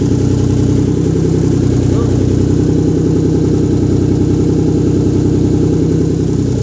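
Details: Rebuilt 1997 VR-4 first start-up after rebuild, downpipe not yet welded in: loud raw blaring idle with coarse steady pulse, no muffling; missing exhaust downpipe.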